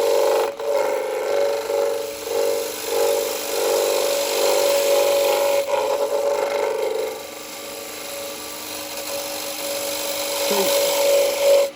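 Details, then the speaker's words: Woodturning lathe, hollowing a bowl with a half-inch spindle gouge: a pulsing squeal about twice a second that fades as the cut settles; the thin side wall is flexing, and the sound goes once the right cut is found. "Now you can hear it, and it's because it's flexing a little bit on the side. But if you persevere, if you get the right cut, you'll know when you've done it because the sound goes."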